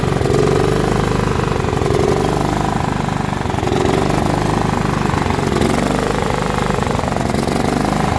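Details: John Deere L110 lawn tractor that sat 3 years: small engine catches and holds a steady, even fast idle with no misses or surging; running properly.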